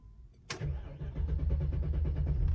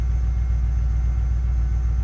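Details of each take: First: 2006 BMW X5 4.4 N62 V8, run almost dry then wouldn't start: starter cranks briskly and evenly for about five seconds but never fires; fuel pump failure suspected, no fuel delivery. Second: 2006 BMW X5 4.4 N62 V8 that cranked but wouldn't start after running nearly dry; fuel pump suspected: low, even rumble with no misses or knocks as it fires and settles into a smooth steady run.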